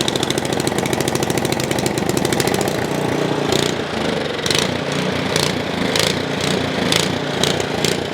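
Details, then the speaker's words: Ariens Path Pro 208cc four-stroke single-stage snowblower, unloaded, hunting up and down about once a second with revs rising and falling in waves; an idle surge that the seller says goes away under snow load. "works so we're going to fix that surging issue it is not the end of the world if it surges it just drives me nuts and i know that that is not correct"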